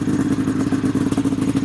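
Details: XC 700 two-stroke snowmobile with aftermarket pipes, owner says it runs lean: loud, crackly revving with a choppy, pulsing note over the exhaust, sounding ragged; carburetors pulled afterward. Uneven high revving.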